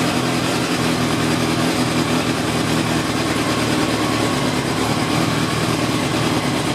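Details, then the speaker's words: Motorcycle starting on choke and then idling steadily and evenly with the choke off, revving freely without stalling, after the carburettor pilot jets were cleaned with hypodermic needles. "I'm on choke, turn on ignition, turn off the indicators. Almost right off the choke now. And no choke."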